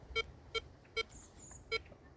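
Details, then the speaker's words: Air Metal Detector test in UK, small targets around 45 to 50, probably 4 to 6 inches deep, recovery speed 2: four short even beeps about two a second over quiet hiss, sounding on one swing only; weak small-target sensitivity. "Back to the 45, again a one-way blip. 50. Still only getting it on the one way, and that is probably 4 to 6 inches."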